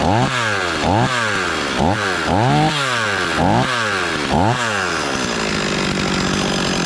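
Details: Stihl 026 chainsaw just after rebuild, first start and break-in, running thick fuel: sharp throttle blips about every second, each climbing and falling cleanly, then a settled even idle; saw runs healthy.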